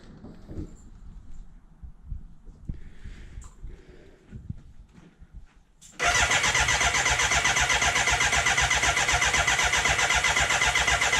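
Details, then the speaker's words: BMW K100 café racer build on a 13.1 V lithium polymer battery, after an oil fill: steady, even cranking at about four beats a second with no firing, to prime oil until the pressure light goes off. The oil level drops, probably as it fills the filter and galleries. No leaks. "Ah, it started going off then. Give it one more go. Yep, I'm happy with that."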